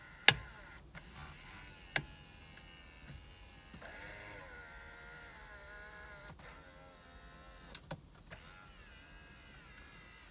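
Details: 2003 Hyundai Sonata 2.7 V6, 187,952 miles, engine not running due to broken timing belt: driver window motor gives a smooth, even whine as the glass travels up and down, no grinding or binding; window works normally.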